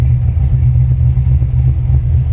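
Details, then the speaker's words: 1989 Ford Mustang GT Fox Body V8 from a salvage auction, compression-tested with major low compression on one cylinder: deep, lumpy idle with an uneven loping thump that skips a beat, running on five cylinders yet holding idle. "even running on five cylinders [Music] she still runs relatively well and can hold an idol"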